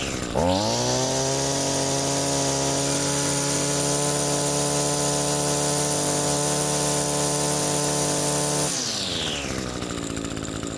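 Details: Reference trimmer, cold with empty carburetor after three months unused, compared against a Husqvarna 128CD: snaps cleanly to a steady high-speed scream, holds, settles to smooth idle; healthy two-stroke idle and high-speed run.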